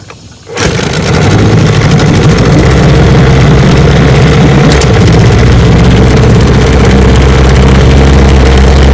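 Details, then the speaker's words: 1972 Johnson 9.5 HP outboard, fully mechanically restored: carburetor rebuilt, tune-up kit, ignition and magneto, lower unit seals redone; catches within a second and holds a strong, even low burble at idle, no misses or rattles; runs great. "it's a light restore fully mechanically restored carburetor tune-up kit ignition magneto lower unit seals everything redone and she runs great"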